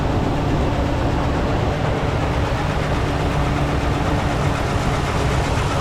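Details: 2015 Ford F-350 Super Duty 6.2 V8 at idle: loud, uneven, rough beat with a bad misfire that started suddenly while driving, not towing, with no warning noise; one dead cylinder, found on teardown to be a broken exhaust valve spring.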